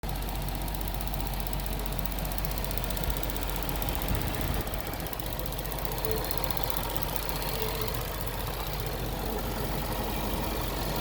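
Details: Range Rover engine idling steadily with a light, rapid ticking on top from the cycling EVAP purge valve.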